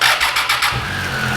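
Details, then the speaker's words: 2013 Triumph Tiger 800XC, hot after a long run with the fan cycling, started with the clutch pulled; starter voltage about 10.5 V when hot. Quick cranking, clean catch, even idle: normal hot start. "So right now the unit is hot. Okay, it's hot. I've been letting it run."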